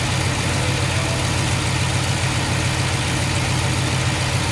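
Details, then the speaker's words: Chevrolet K5 Blazer V8 first runs after restoration, coolant about 145, restarted after fixing a loose spark plug thought to cause a puffing noise: steady, even idle with no puffing or ticking; normal idle. "let's start it again make sure that uh noise went away I think it was just that one loose spark plug and uh see what the idle is going to do now that we got that hole plugged"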